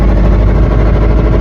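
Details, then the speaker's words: Toyota MR2 engine: heavy, uneven low rumble with a rough, labouring beat; owner says he blew the motor, which is cooked, internal cause unconfirmed, and a K-swap is planned. "Um, I blew the motor. Y'all hear that? Don't. Yeah, I'm not I'm not going to I'm not doing too much, but yeah, motor's cook, guys."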